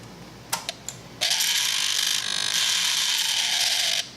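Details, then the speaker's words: Kawasaki Z1000 sub-throttle servo on a replacement used throttle body: a few light ticks, then about three seconds of harsh, high buzzy ratcheting grinding as it sweeps; it opens fully but still sounds bad, and many of these are reportedly bad. "Still sounds like crap, but she opens up all the way, so that's something."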